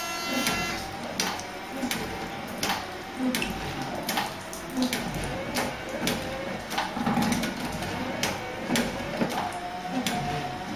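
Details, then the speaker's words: Ford Cortina Mk3 GXL automatic, rain-sensing automatic wipers tested with spray bottle on sensor pad: soft even swishes with light tick at each stroke end; wipers trigger, run and park normally. "so they are now armed and waiting to receive information from that rain sensing pad and there it goes and there it goes"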